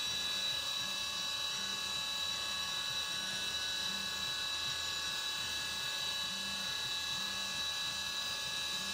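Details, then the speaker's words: CNC milling of the sides of an AR15 high-rail gas block, 3D finishing on the back side of the part: steady high spindle whine with an even cutting hiss and no squeal; no chatter because nothing is gouged. "And again, no chatter back here."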